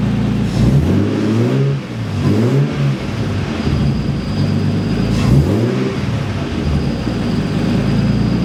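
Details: Nissan S13 after re-tensioning the timing belt to spec, brief run without a radiator: short throttle blips rise and fall smoothly with no whine; the overtight-belt whine is fixed.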